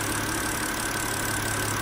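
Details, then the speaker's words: 2006 BMW X3 E83 petrol six-cylinder after replacing the faulty cylinder 3 ignition coil (misfire fault code 29CF): smooth, even idle with a steady hum and no stumbles or dropped beats; no misfire, all cylinders firing cleanly. "um I think you can tell that there's no misfiring all right"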